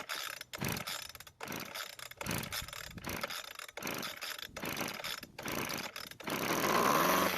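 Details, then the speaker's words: Weed Eater hedge trimmer with air filter off and gas poured into the carburetor throat, flooded from too much gas: repeated rope-pull rattles with no firing until it finally catches; brittle fuel lines found leaking. "unfortunately I've put just a bit too much gas in the carburetor so it's flooded now this will take a few pulls to get it started"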